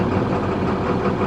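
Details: DT466 diesel beverage truck on a cold morning, first start after the fuel leak was found, with about 500 showing while cranking: it starts much better, then gives a steady, even diesel idle with no stumbles, misses or surging. Valve replacement still pending.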